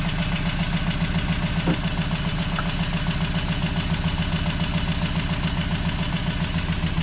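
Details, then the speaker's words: Toyota 22RE pickup after new motor mounts, oil, plugs, rotor, distributor cap, air filter and battery: lumpy, shaking idle about three beats a second barely holding speed, unchanged from before; misfire traced to cylinder one. "Nothing even changed. Something's wrong with cylinder one."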